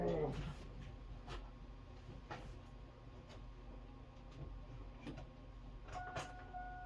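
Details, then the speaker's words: Chevy S10 street rod with carbs, on boost pack with homemade fuel squirter: slow labored cranking in uneven bursts, no firing; cranks but won't start, batteries swapped next. "try again i need a bigger shot not happy try this again swap batteries out see if this one's got any power"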